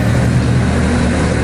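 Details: Mitsubishi Lancer Evo 8/9 idling after bypassing the failing main fuel pump relay that cut its trigger signal and stalled the car after 10-15 seconds: steady low idle, even beat, no stumbling or cutting out; healthy.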